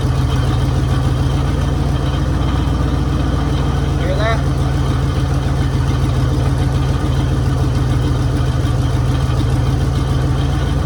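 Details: 1966 Mercury Monterey big-block V8 after fixing a fuel leak, water pump leaking: deep, steady low rumble with an even idle beat and no knocks or misses; idling normally.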